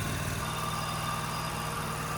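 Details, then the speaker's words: Kawasaki liquid-cooled FD620D V-twin on a Wheel Horse 520Lxi after carburetor replacement (previously sluggish, bogging, fuel-starved): steady, even idle with smooth low pulse, no misses, surging or hunting; best it has sounded in a long while. "But this is the best this engine has sounded in a long while."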